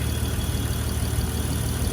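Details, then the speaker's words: 1986.5 Toyota Supra MK3 swapped to a 2JZGTE VVTi, cold start with a DIY IAC valve from Aristo parts: even, steady low idle hum with no misses or hunting. Normal idle. "So you can tell this thing hasn't skipped a beat. You can hear how smooth it runs. I'm quite pleased with it."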